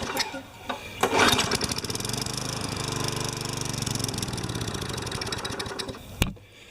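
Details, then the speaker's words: Craftsman 20 inch side-discharge mower, just washed: catches after a pull, runs rough about five seconds, then dies. Starts and stalls; needs a carburetor clean. "yeah this is actually okay so it starts and stalls that's a card clean"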